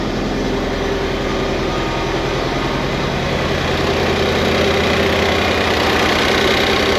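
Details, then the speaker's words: 1988 Ford Festiva with a 1.6 EcoBoost from a Fiesta ST on its stock turbo, idle before warm-up: an even, steady idle with a regular low pulse and no knocks, misses or rattles. Fuel pressure is about 80 psi; healthy idle. "far everything looks good, sounds good. We'll wait for the temp to rise a little bit."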